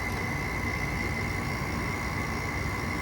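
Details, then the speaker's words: 2010 5,000 BTU window air conditioner (R410A) running: steady hum with thin tone and low rough growl from the fan motor bearing, noisy despite oiling; worn fan motor bearing. "The motors bearing to start somewhat growl, but it still runs, but it's just as usual, still it just has that noise to it."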